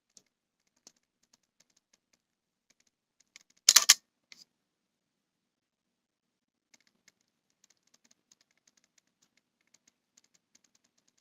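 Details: Canon EOS M100 with EF-M 28mm f/3.5 Macro IS STM lens, bought new, regular mode, continuous AF on: faint high-pitched ticking in irregular clusters as autofocus hunts; nearly silent with continuous AF off or in video; owner unsure if defective.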